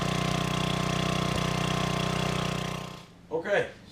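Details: Old gasoline generator revived after fuelling and freeing a stuck governor: steady, even low chug holding one set speed with no hunting or surging; runs properly and puts out voltage in the proper range; normal governed idle.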